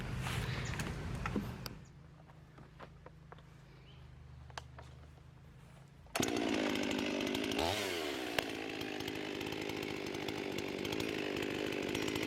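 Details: Husqvarna 55 chainsaw after the carburetor gasket air-leak repair and retune, warmed up, high jet at maximum richness: it idles, then snaps to a clean high scream in the cut with no bogging. It runs healthy, where before the repair it bogged when cutting.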